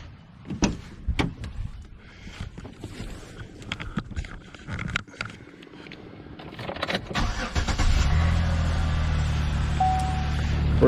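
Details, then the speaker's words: 2010 Impala with 3800 V6, driven into driveway: steady low growl under idle, steering barely turns, virtually no power steering, foamy fluid in reservoir; failing power steering pump. "when I pulled it up in the driveway last night it was just growling and growling like you wouldn't believe"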